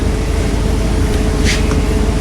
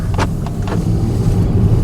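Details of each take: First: Mercedes-Benz C300, noise customer first thought a wheel bearing, then much worse: steady drone breaking into harsh metallic clatter; front driveshaft U-joint completely failed, front driveshaft needed at least, catalytic converter also probably affected. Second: Mercedes-Benz C300 after repair of a failed front driveshaft whose front U-joint came apart, which also damaged heat shields, an O2 sensor and the catalytic converter: steady low road rumble, even drive note, no clunks or vibration, and the car runs well again.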